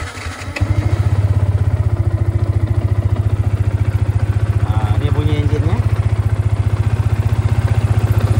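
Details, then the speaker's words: Yamaha FZ150i motorcycle at 122,000 km, microphone at the middle of the engine: starts and settles into a steady, even low thumping idle with no metallic knock or tapping, and the exhaust sounds fine. "Saya gunakan wireless Go ni tengah punya enjin dia tak ada bunyi knocking apa-apa dari segi metal e."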